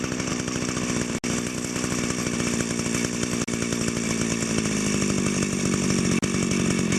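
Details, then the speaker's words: Echo grass trimmer two-stroke with a centrifugal clutch, idle screw being adjusted and set fairly high. It holds a buzzy, fast, steady idle, pitch easing slightly, running clean and even. Normal high idle. "on this trimmer because it has a clutch the trimmer line isn't always turning so what I do is I set the idle pretty high so that the motor idles faster"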